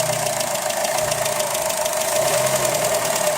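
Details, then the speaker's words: Engine idling with bonnet open at about 15°C: a fast, light, even knocking ticking through the idle, source unclear; level checked and correct. "on entend le bruit on va laisser le capot toujours le même bruit"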